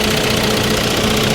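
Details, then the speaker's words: 2001 Saab 9-3 Turbo auction car that stalled with oil pressure light: loud constant fast metallic top-end rattle at idle; owner recalls these engines clogging the oil pickup screen, unconfirmed. Valvetrain rattle at idle. "what the hell's going on with the with the engine here guys or she is a rattler isn't it and he's rattling real good"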